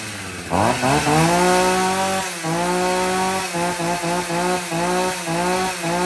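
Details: Husqvarna 40 chainsaw, Swedish-made, original two-stroke: crisp wail revs up cleanly, then quick throttle blips about four a second with sharp response; sounds healthy.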